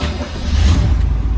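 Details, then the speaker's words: 1972 Corvette LT1 roadster, numbers-matching 350ci 255 hp V8, 4-speed manual: quick crank, catches straight away and settles into a deep, steady rumble with no misses; starts right up, healthy start. "Starts right up. All the little idiot lights work."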